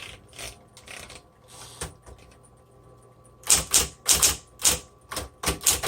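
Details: 1960s Smith Corona Coronet electric typewriter, motor running with two rubber belts: crisp, bright keystrikes over a faint steady motor hum, typing normally.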